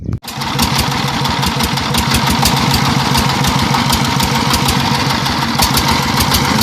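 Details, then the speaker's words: Single-cylinder diesel just after camshaft gear timing was corrected to cure misfire and backward turning on start: loud, steady chug settling in with even rhythm and no misses, left running about a minute to warm up. "So I give it about a minute running like this so that it heats up and also to get rid of the you know a few deposes inside the combustion chamber from the previous uh fairings."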